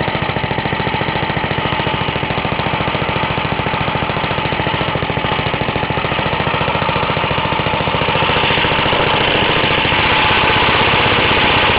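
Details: Half-restored 1954 reel mower: repainted Briggs & Stratton 6S, 1.6hp, non-original shroud, pull start removed, homemade throttle valve; plus 1984 Montgomery Ward B&S 3.5hp TMO-37425A. Steady, even single-cylinder popping, picking up slightly near the end; normal running.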